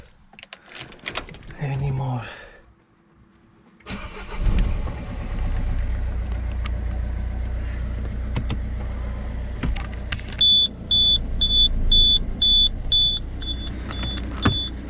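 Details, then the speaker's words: Citroen C4 Picasso after refitting loose exhaust pipe vibration-absorbing mounts that caused a strange underbody noise when pulling away and shifting: starts and idles evenly under a chime, no rattle or buzz from underneath, exhaust secure. "anymore nothing it's like new"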